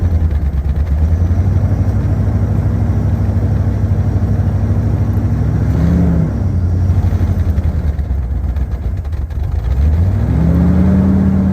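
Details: 1986 Ford Bronco 351 Windsor four-barrel V8, sat about 15 years, running on fuel poured into the carburetor: a steady, even idle with clean throttle blips, no clatter or rattle. Healthy, with a little exhaust smoke likely from buildup.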